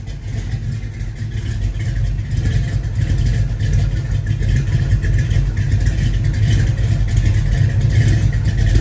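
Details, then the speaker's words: 1970 Ford F-100 with Crown Vic engine swap, new FST 600 CFM double-pumper carb unadjusted out of box, warmed up, choke open: deep, smooth V8 idle, no misfires, stumbles or ticking; normal idle. "all right guys it's warmed up so chok's open it's idling we haven't adjusted anything this is exactly how it was pulled out of the box and it currently sounds awesome"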